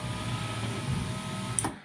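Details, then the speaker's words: 2004 VW T5 passenger electric window after reassembly: slow labouring motor hum with cable straining, then a big clunk; window slow and noisy, worn binding regulator. "but there's a big clunk in between I don't know if you can hear it you can hear the cable struggling"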